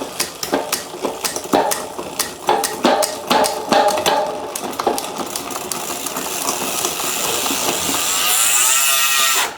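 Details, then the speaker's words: HUP Featherweight youth XC race bike (carbon frame, Shimano XT 10-speed) after full rebuild that addressed worn drivetrain parts: crisp clicks as the chain steps across the cogs, then a smooth, even freewheel whir; healthy drivetrain shifting cleanly. "Back down again. Much better. Very nice. In fact, 10 speed is just so nice."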